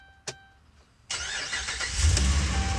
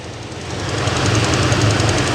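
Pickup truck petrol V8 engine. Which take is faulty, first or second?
second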